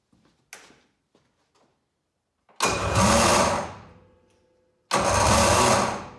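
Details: 2013 Polaris Rush 800 snowmobile on first startup after rebuild, coolant not yet bled: two harsh bursts as it fires and dies, with a gritty whirring; starter drive suspected noisy; blown head gaskets later found.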